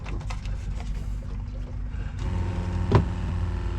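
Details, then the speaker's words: RV water pump after reconnecting a loose, spread female spade connector: steady low drone and even hum once it kicks on, no rattle or stutter; pump running and pumping water normally. "you can hear it it's making noise it's pumping water"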